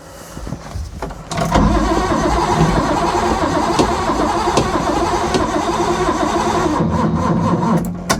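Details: Ford Capri 3.0L V6 stored 20 years, cranking on a booster pack after the battery proved too weak: brisk, even cranking for about five seconds, never catches or fires; no spark.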